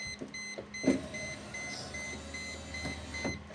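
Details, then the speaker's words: 1998 Mercedes-Benz SLK 230 (R170) driver's window after regulator replacement: dash chime, then a smooth, steady, strong window motor hum for about two seconds, no grinding, clicking or squeaking; regulator tight, motor healthy. "everything looks tight rivets aren't wiggling at all motors sounds good nice and strong no squeaking"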